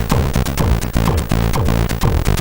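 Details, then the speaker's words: Commodore 64 (spare board converted NTSC to PAL) running a game: tune comes out stuttering and choppy, beat breaking into uneven chunks, sounding broken, while the game runs at normal speed; owner suspects a CPU or timer/NMI timing fault. "sounds like broken. You hear that? It sounds really bad, really choppy."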